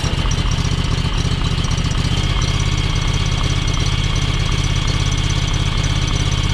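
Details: John Deere X585 (hours 787 or possibly 1787) after air-filter and fuel-filter work with the key cycled to fill the filter. Twin still idles with a loping, irregular, stumbling beat; owner suspects the valves need adjusting.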